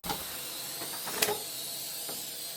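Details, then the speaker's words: Maxwell Hemmens Birmingham dribbler model steam engine under steam test: short high squeaks over a steady steam hiss; no displacement lubricator, cylinders run on impure water, squeaking from lack of lubrication. "There's no displacement lubricator, so what it gets is gripey, horrible water with a bit of carbusonic in it, and it doesn't like that."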